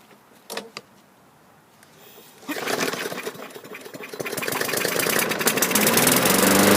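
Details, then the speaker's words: 2015 Yard Machines (MTD) 21-inch mower, Briggs & Stratton 550E 140cc engine, after carburetor removal and cleaning (previously started briefly then quit): catches after a couple of recoil pulls and climbs to a steady, even buzz; normal start and running. "so I'm looking at my little ticker here 25 minutes start to finish we got this thing rectified"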